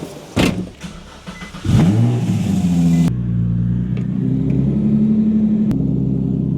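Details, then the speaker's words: Nissan 350Z, front end being reassembled in rain: fires up, blips once, then holds a smooth, steady idle with no knocks or ticks and no oil leaks; normal running. "Next one up, we're moving to FRS. Still sounds good. Woo!"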